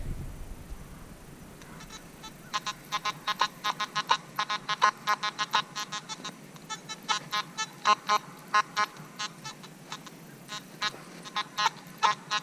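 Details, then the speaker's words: Nokta/Makro Simplex+ metal detector, factory settings, silver Mercury dime buried 8–9 inches with nails: short, uneven squeaky beeps where the dime tone barely shows through the iron chatter; faint target masked by iron. "So again, it hears it, but just barely. It's hearing those nails also."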